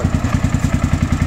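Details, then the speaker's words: Honda XBR 500 with about 60,000 on it, first start in 2023, on temporary black-painted exhausts. Idle being trimmed down to about 1000 rpm; even, unbroken single-cylinder exhaust thumps. Normal healthy idle. "Még 1000-re próbálom belőni, tudom, hogy 1001 és 1002 körül kell legyen. Szépen 1000, hú de szép, hú de szépen jár."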